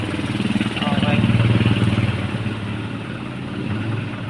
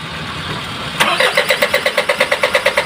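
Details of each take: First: Isuzu 4HL1 diesel after repair for hard starting and cranking without firing: settles into an even, steady idle with a regular low chug, no stumbles, no longer rough as before; normal idle. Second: Isuzu 4HL1 diesel with hard start, cranks but won't run: steady cranking at about six compressions a second that never fires or catches; turns over fine but won't start.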